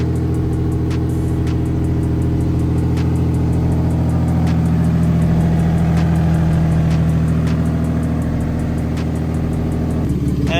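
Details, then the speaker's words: Turbo-swapped engine at first start, past its cold start, idling with a deep loud bouncy rhythm that rises and falls and shakes the car; owner suspects the tune, likely the unfinished map, not confirmed. "once it settles down kind of has a bouncy idle but I mean if a bouncy idle is the only thing I can complain about then who [ __ ] cares honestly I think that's just the tune thing"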